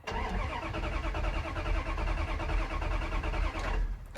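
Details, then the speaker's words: 1994 Ram 1500 truck: steady rapid starter chug about four seconds with no firing; cranks but won't start, no sign of the fuel pump engaging; owner suspects water in fuel tank from missing cap, not confirmed. "It'll spin over, but it won't crank. And we have no signs of the fuel pump engaging."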